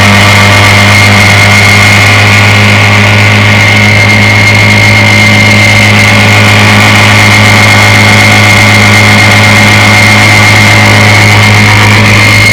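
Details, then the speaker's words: Restored 1958 Evinrude 5.5 hp outboard, flood-damaged, with replaced power head, carburetor and gear case, warm start: steady, even two-stroke buzz with no misses, knocks or surging; running cleanly. "She runs beautiful. Let's give her a test run this morning. It's going to be a warm start."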